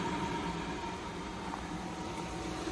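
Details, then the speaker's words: Jandy JXI gas pool heater after pressure switch replacement, pump and heater switched on: even, steady rushing hum with faint constant tone, no surging or cycling; heater fires right up, no leaks, flow error gone, hot air output. "Heater just came right on, you can hear that."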